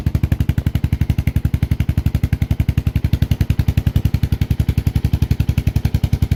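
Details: Suzuki S40 Savage single, cold start after sitting a few days, choke on, on reserve: even regular thumping about eleven beats a second, steady high idle with no misses or knocks; normal cold idle on choke.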